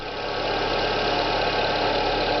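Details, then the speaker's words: Renault Clio 1.6 16V with a K4M engine at idle: a constant rough whirring hiss above the engine from the front accessory area, typical of a worn bearing; alternator pulley bearing noise. "é um barulho característica de rolamento não sei se vai pegar no áudio da câmera aí ó ele tá vindo mais ou menos dessa região aqui"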